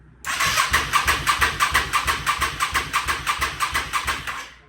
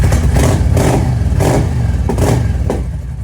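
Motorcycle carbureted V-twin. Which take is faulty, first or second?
first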